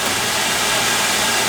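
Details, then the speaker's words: Oil burner on a furnace/boiler that wouldn't fire, after several reset presses: steady airy hiss of the burner motor and oil spray with no low roar of flame catching; the ignition transformer is dead, so there is no spark. "transform is dead no spark that's your problem right there just what i thought no spark"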